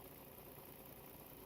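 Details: 2011 Volvo XC60 3.2 idling after a used ignition coil replaced a faulty one behind P0302/P0304 misfires (cylinders 2, 4): steady low hum, no stumble or skipped beats, running cleanly on all cylinders.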